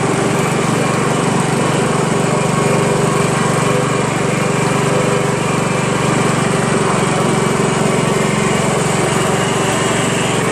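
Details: Honda Harmony HRM215 SX self-propelled mower, GXV140 engine, cracked deck and stripped rear drive gears; steady, even buzz at full throttle, no misses, knocks or surging: normal running.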